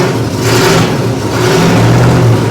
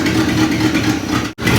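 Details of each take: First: 1961 Chevy Apache, carbureted, revived after 20 years in the desert, after new plugs replaced fouled, wet ones and the carburetor was adjusted: the engine picks up cleanly on each blip and settles back to a steady, even idle with no misfire; running smooth. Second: 1961 Chevy Apache V8 revived after 20 years parked in the desert, idling a little lumpy and uneven with a stumble in the beat; misfire suspected from a plug; charging at 13 volts.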